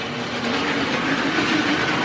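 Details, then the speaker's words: Vintage Hornby Tri-ang train set locomotive at full speed: harsh, rattly whirr, steady, far louder than normal; contacts were dirty and dry, running gradually improving. "yeah so as you can hear this is really noisy really loud but you know it's just the area what it came from"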